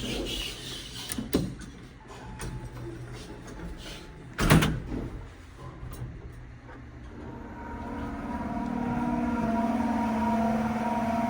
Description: The motor bearings on these things are bone dry and sound so horrendous. It’s literally metal on metal scrapping and it doesn’t sound good at all.